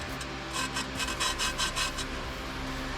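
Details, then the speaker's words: Lapping a pitted valve on a Chevy cylinder head by hand with compound: rhythmic gritty back-and-forth rasping, about two to three strokes a second, as the valve seats. "you hear that grinding that grinding is it seating"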